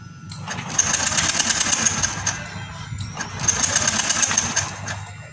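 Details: Yamaha Lexi fuel-injected scooter with lost ignition: two bursts of fast even cranking that never catch; test pen shows ECU ground to ignition coil missing, also peeled wiring found nearby.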